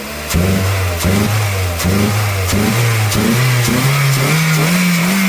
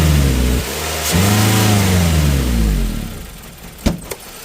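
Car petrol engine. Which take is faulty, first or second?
second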